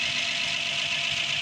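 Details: Rebuilt Ford 215 inline six in a GMC truck, cold, fresh after engine pull for heavy blowby: even, steady idle pulse under a constant high hiss, no knocks or misses; sounds healthy.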